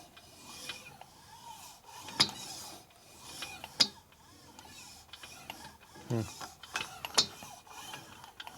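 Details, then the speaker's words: 1941 Harley WL 45 flathead, 56ci stroker build, at top dead center, rear cylinder compression stroke: intermittent sharp metallic clunks echoing through the valve train; suspected cam-related, not confirmed. "There it is again. It's echoing up through the valve train, so it's something with the cams. It's not there every time though, that's the problem."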